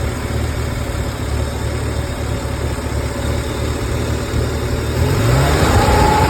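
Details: Ford 300 inline-six idles with a light metallic rattle riding on the firing beat, then revs up; cause of the rattle suspected but not confirmed.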